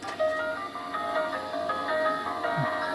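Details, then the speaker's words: Crosley 157 antique tube console radio with temporary replacement electrolytic capacitors, makeshift antenna, run at reduced 100 volts, receiving a local AM station playing Christmas music clearly and steadily, no hum, crackle or fading; whole signal path working. "Yep, that's a Christmas song. And I should be able to get that on my AM radio here. Yep, it's our local channel."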